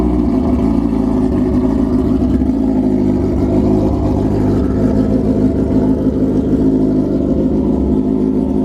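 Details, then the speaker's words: 2003 Suzuki GSXR 1000 started just after a new clutch pack install and fresh 3.8 qt Shell Rotella oil, with a Brock's header and Loudmouth exhaust: loud, deep, steady exhaust note with no clatter or slipping. Normal running. "Just going to fire it up, let you guys listen to the Brock's header with loudmouth, see what you guys think."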